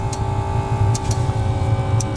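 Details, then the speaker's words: Steady deep jet-like roar with an even mid tone, no misfire or stutter, fuel pump ticking slowly: the ZAZ 968 Zaporozhets autonomous parking heater spooling up and burning cleanly on first revival; hot air reaches the cabin. "такой звук как будто реактивный двигатель сюда себе она разгоняется насос качает потихонечку"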